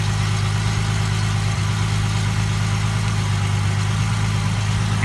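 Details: 2005 Ford Mustang 4.0 V6 after crank-no-start diagnosis and gutting the catalytic converters, exhaust joints tightened; steady, even low idle with no puffing or ticking at the joints, exhaust sealed: normal idle.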